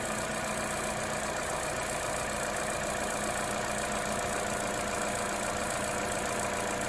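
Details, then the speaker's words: 2014 Opel Corsa D 1.4 after replacing coil pack (cylinder 4 coil was shorting to the block, causing RPM fluctuation and vibration at idle): steady, even idle with smooth low hum, no misses; running much smoother than before. "And not only does it run smoothly, it's much smoother than before."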